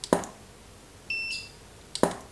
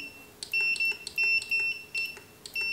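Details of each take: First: Godox SK400 II studio flash after repair of Error E3 and weak power, power raised to full: two sharp flash pops with thin steady high recharge whine between; firing cleanly, power boosted. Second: Godox SK400 II studio flash with Error E3 and low power, before repair: high, sharp beeps in short irregular bursts, the Error 3 alarm; repairer suspects a failed earlier service elsewhere, not confirmed.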